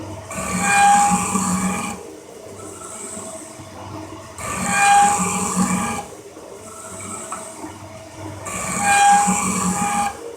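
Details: Big Cincinnati 24" metal shaper parting off a gib from stock at 14 strokes a minute with 13.5 inches of travel. Each slow stroke gives a harsh rasping scream and ringing tone, heavy tool chatter possibly from cutter geometry or part harmonics.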